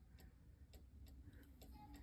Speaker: you want to listen to the clock and listen to The Tick Tock sound and make sure it has a nice even beat sound for instance if I slide it over here and you listen to it you'll notice that the ticking sound is slightly off beat